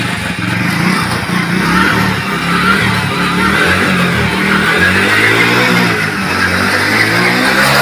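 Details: Hero HF Deluxe BS6 FI 100cc self-start motorcycle, test run after clutch plate replacement and fresh oil: small single revs up and settles with an even, steady note, no slipping or rattles; clutch and engine sound healthy.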